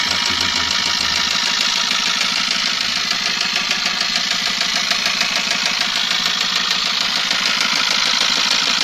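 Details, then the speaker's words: Eicher truck diesel engine at idle: hard, regular knocking about three per second over a harsh idle, described as coming from the piston area, with the engine also showing back glow. Heavy lower-end knock; cause suspected, not confirmed. "बहुत आवाज आ रही थी engine से piston पे और इसका back glow भी था।"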